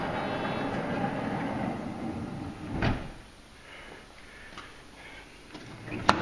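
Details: Honda Odyssey van power sliding door, first try after latch reinstalled during repair: motor whirs about three seconds, then a soft clunk and light taps; door closes but latch never catches, not locking or releasing properly.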